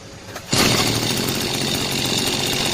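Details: Mitsubishi shoulder-mounted gas brush cutter engine after full overhaul (prior failure blamed on lacking engine oil), throttle cable play set to 1–2 mm: small engine snaps up to a high, steady buzz and holds it without surging, normal running.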